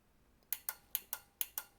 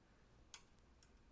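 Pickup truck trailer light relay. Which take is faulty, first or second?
second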